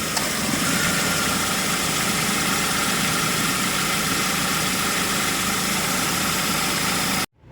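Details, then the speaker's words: Ford Focus, about 10 years and 93,905 km, at idle with AC on after air-conditioning repair (all O-rings, expansion valve, drier replaced, original compressor kept): steady, even hum, no knocking or rattle; compressor now quieter and smoother, normal running. "คอมทำงานนะครับเสียงคอมแอร์ก็เบาลงนะครับเรียบลง"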